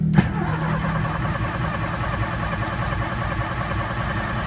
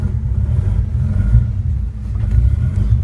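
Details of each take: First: Engine with Pandoo EFI-4 programmable injection on a basic map, started cold: catches on first crank and settles into a smooth, even idle for ten seconds with no misses or stumbles; normal cold start and idle. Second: Cold engine just started on a newly installed Pandoo EFI-4 programmable injection running its base fuel map: a low, steady rumble with no clear misses. It runs but the map still needs tuning.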